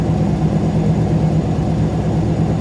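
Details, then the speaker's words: Warm engine after a couple of drives around the block: steady, even low rumble with no misses but a quick idle; owner guesses about 1100–1123 rpm; alternator belt slightly loose; runs great but idles too fast. "it idles too fast if you just listen that's got to be running about a thousand 10.50 I think about 10.50 no no about 1100."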